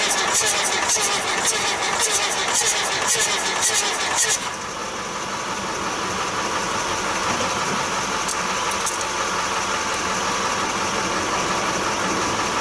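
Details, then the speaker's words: 1966 Austin London taxi diesel (CAV fuel pump and filter), first start in years: cranking gives a rough, regular tapping about three beats a second that changes as it catches; owner suspects an intake valve, unconfirmed. "is i think we got a maybe a intake valve or something right i can hear it"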